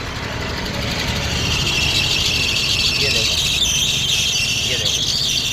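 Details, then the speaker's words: Hyundai i10 idling, heard from outside the car: a loud, shrill, steady squeal ("chu chu") starts as soon as the AC is switched on, from a loose drive belt slipping; the fix shown is tightening the V-belt. "अब इसमें इतनी भयंकर आवाज आ रही है AC on करते ही कि confusion हो जाता है कि क्या हो गया कोई चीज टूटने वाली है"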